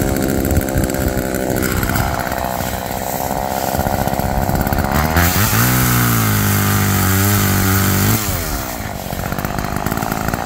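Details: Roadside-found Homelite chainsaw after carburetor rework, cold-started after sitting, cutting wood: high buzzing two-stroke rev bogs and steadies through the cut, then clears cleanly. Chain oiled; owner suspects it runs a little rich, bogging in larger logs then coming back.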